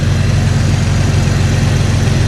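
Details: Jeep Cherokee XJ after upgrading to 4-hole fuel injectors, fuel system primed with no leaks: steady, even low idle with no miss, tick or hiss; engine runs smoothly.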